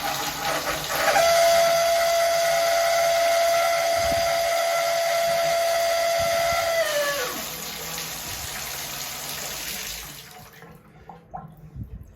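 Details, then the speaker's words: Shower valve squeals only on hot, silent on cold, despite a replaced cartridge and bled air lines: loud steady high-pitched whistle starts with the flow, holds about five seconds, then sags away. "When you turn on the cold water, I have no noise. But when I switch it over to hot, I start to get it screeching."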